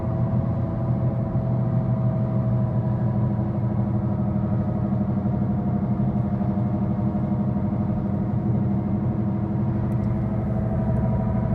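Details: 2013 Ford Focus at road speed: constant deep rumble and low drone filling the cabin, loud road noise traced to a bad left-front wheel bearing, replaced by dealer.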